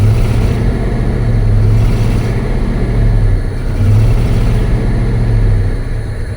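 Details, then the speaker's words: Ford F250 302 pickup abandoned in a backyard for 7 to 12 years, newly revived on a new battery, running rough; low lumpy note surging and sagging unevenly with a stumbling beat, misfiring a lot; owner suspects bad fuel or water. "but it works it works definitely miss firing a lot you come around"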